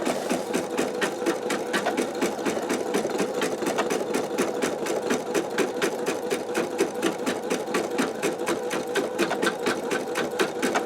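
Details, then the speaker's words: Embroidery machine stitching a simple cat design in a 10.2 x 8 inch MagnaHoop magnetic hoop: quick, steady needle clatter at a couple of stitches a second with light hoop rattle. It vibrates like any other hoop, so this is normal stitching. "if you are familiar with machine embroidery you'll know that it does kind of like vibrate a lot and it is vibrating like any other hoop would do"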